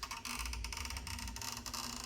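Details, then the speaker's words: Chevy instrument cluster gauge with its needle turned by hand, before stepper motor replacement. Quiet, uneven ticking and grating clicks a healthy gauge motor should not make; the stepper motor is worn. "So it's not supposed to sound like that."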